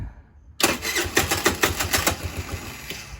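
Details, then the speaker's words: Tao Tao Baja SC50 GY6 scooter after rebuild, choke applied (automatic electric choke may not work): engine fires in uneven pops for a few seconds then dies. Fuel and spark confirmed, owner suspects valve adjustment needed; starts but won't stay running. "Now, my issue now is I can get her to fire, but she will not stay running."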